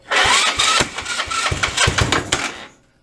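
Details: 150cc GY6 go-kart/mini dune buggy after new wiring harness and carburetor cleaning for stuck float, first start with little gas: rapid starter cranking, a few sputtering near-catches that never settle into running, then silence; cranks but won't fire.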